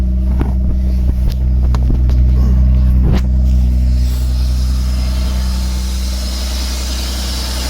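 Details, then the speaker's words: 1996 BMW E36 328i after installing a new MAF sensor: smooth, even low six-cylinder rumble at idle with no misses, running much better; normal idle. "So I think it's running better now with the new MAF. Much better. That's awesome."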